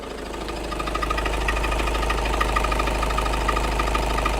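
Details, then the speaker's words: Diesel idling with a steady metallic rattle-knock about three times a second that eases slightly with the clutch pedal down, no pedal vibration felt in this case; failed dual mass flywheel (DMF). "this is the sound of a failed dual mass flywheel or DMF for short"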